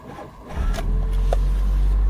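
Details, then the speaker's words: 2002 Mitsubishi Lancer, hard starting, worse when hot, distributor disconnected and jumper battery: deep heavy groaning, slow dragging crank; starter motor suspected seized and over-drawing current, not the battery; before starter replacement. "there it starts when it's hot it's worse I've disconnected the distributor so you can hear what the starter motor actually sounds like that's all it can really do even with a jumper battery on it"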